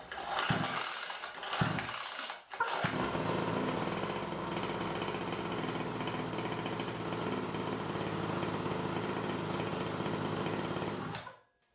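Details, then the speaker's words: New Nitro Motors Quadro 49cc two-stroke pull-start kids' mini quad, first start, choke lever up: a few gentle pull-cord rasps, then the engine catches and buzzes steadily on choke; a clean, normal start. "this is an easy pull start so don't pull agresive just pull gently few times till the engine starts"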